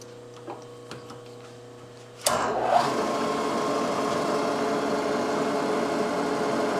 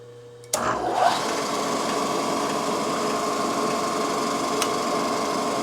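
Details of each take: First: Drill on a Yamaha YL2C Trailmaster 100 clutch basket during repair cuts cleanly straight through with a steady even hum and no squeal, unlike the earlier holes that squeaked hard at the start; normal drilling. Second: Drilling out the very hard rivets during a clutch basket repair on a Yamaha YL2C Trailmaster 100: a steady, high drill whine with a short squeal as the bit first bites into the hard metal.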